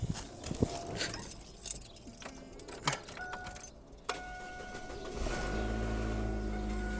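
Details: 1999 Chevy Cavalier Z24 2.4 after replacing all four spark plugs: after rattling and handling, engine catches and settles into a steady even idle with no stumble or vibration; normal, slight movement blamed on old motor mounts.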